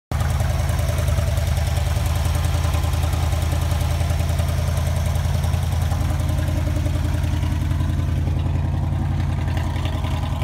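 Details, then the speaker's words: 1959 Chevy Bel Air with 283 2bbl V8, revived after sitting in a Kansas field since 1976, now running and driving; deep steady low rumble at idle with an even beat and no knocks or ticks, sounds healthy. "i've got another video for you showcasing my 1959 chevy bel air that i pulled out of a field in kansas where it sat since 1976 and is now running and driving and on the road again"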